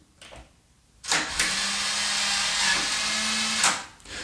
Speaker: c'est pas que le bruit est horrible c'est pas que le bruit est gênant mais effectivement le moteur qui est dans ce dans ce verrou et bruyant enfin en tout cas on l'entend